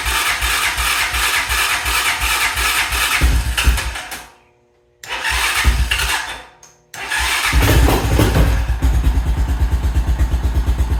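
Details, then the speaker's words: 2000 Honda Foreman 400 4x4 ATV after long storage, first start attempt with old fuel: catches and sputters, dies twice, then stumbles to shaky idle; wasp nest blew out of the exhaust, carb condition unknown. "well that's a good sign I mean first trying it's already starting to try to start and fire"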